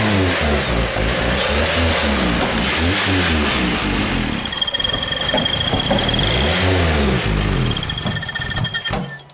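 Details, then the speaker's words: Nissan Sentra that barely starts and runs after stalling, with plugs, coils, fuel pump and converter already replaced, hose pulled off: engine stumbles and surges, popping back through the intake; mechanic wonders if timing is out, unconfirmed. "it's weird you can hear it through the intake like it's like maybe the timing's out hmm it doesn't sound like it but why would it be kind of like backfiring through the through the intake"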